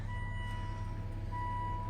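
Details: 2007 Volvo XC90 running after starting on a newly cloned NE66 blade key with immobilizer chip: steady, even low rumble with no knocks or misses, warning chime beeping over it; runs healthy, key works.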